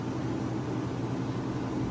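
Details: Vintage Westinghouse 10,000 BTU window A/C, owner guesses around 1975; steady even low rumble of fan and compressor with smooth airflow hiss, no knocks or rattles; normal running just before shutdown.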